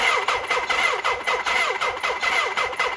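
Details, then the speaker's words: 1979 Suzuki GS1000 after new coils, wires, boots, plugs and Dyna ignition: starter cranks steadily but engine never fires; spark on cylinder three still weak, that side not sparking at all. "cylinder number three had about the same spark as last time I don't know wow this side isn't sparking at all"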